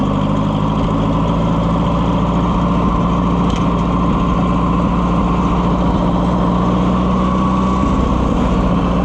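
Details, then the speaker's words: Oliver 550 loader tractor, long abandoned: loud, lumpy, wavering beat instead of a clean idle; owner says it's missing and only runs, kind of, on choke; rough running, cause not confirmed. "We do not have a happy camper here, friends. Missing out. If I pull the choke out, I can get it to run. Kind of."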